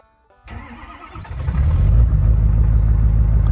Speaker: it didn't even miss a beat this old truck we got from West Motor Company it's been a d it's always start in the morning it runs perfect it drives perfect